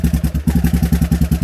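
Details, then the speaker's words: Raptor 660 ATV with a rebuilt engine bored to 686, new carburetors, billet intake spacers, warming up with idle turned down: a big single thumping at a low, even idle of roughly ten firm beats a second, with no misses or knocking. Normal idle. "see how it's just puttering the ball it's just puttering along still getting fuel built up here and i got my idle down"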